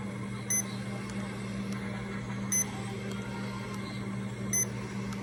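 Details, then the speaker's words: Remodulin infusion pump self-tested, reserve volume 100, air detector off, priming its line: soft steady hum with a short beep about every two seconds, working normally. "now it's doing a self test please wait now we're ready to prime the line so we're gonna prime it"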